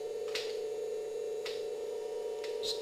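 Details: 1994 Philips VCR after replacing the missing main loading belt: fast forward and rewind give a steady mid-pitched motor hum with light clicks, even tape wind, no dragging or squeal; transport normal.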